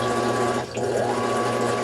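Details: Fisher & Paykel EOS smart washer that won't go past the wash cycle, in rinse cycle: steady motor hum with water churning through the recirculation tube and only a trickle from the drain. Diverter valve suspected.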